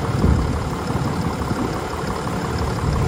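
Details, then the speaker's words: 2022 Ram 3500 diesel hot-shot truck, cold engine at 41°F after sitting a couple of days: steady low rumble, just a little rough from the cold, with no knocks or ticks, a normal cold idle. "of Harris is running perfect nothing nothing wrong nothing out of the ordinary a little and I mean a little rough but it's a cold engine"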